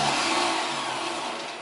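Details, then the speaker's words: 1972 MGB GT flood-damaged restoration, starter spun on first wiring test, not engaging engine as 12V not tripped: fast even electric whir winding down, no grinding; healthy starter spinning free. "So, sounds like a healthy starter as well. Yeah. So, that's not engaging with the engine because we haven't uh tripped the 12 volts."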